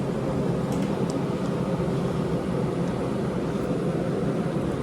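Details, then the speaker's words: 115 V 15 A through-the-wall AC, front cover off, blower on high in fan-only mode with the compressor off; steady, even airy rush with no rattle, scrape or wobble, healthy blower fan. "Now, the compressor will not kick on because I don't have the thermostat on. I don't have the thermostat turned up, so it'll just be on fan like it was on the other mode."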